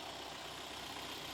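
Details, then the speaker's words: Used Daihatsu Terios inspected before purchase: no oil seepage, exhaust condensing water with little smoke, pulley and V-belt good. Smooth, even idle with a steady low beat and no knocks, ticks or squeals; the engine sounds healthy. "Kemudian untuk knalpotnya masih ngembun keluar air, asapnya nggak terlalu banyak. Kalau ini saya dengarkan sih mesinnya masih halus,"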